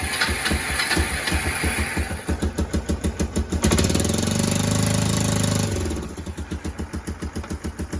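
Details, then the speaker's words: Kawasaki KLF300 Bayou 4x4 ATV during spark plug swap test: choppy single-cylinder beat about three pulses a second, stumbling and surging when revved and popping through the exhaust; still runs rough, owner thinks an oily plug is indicated. "Right, ignoring the fact it's blown out the exhaust, that is not a sorted bike."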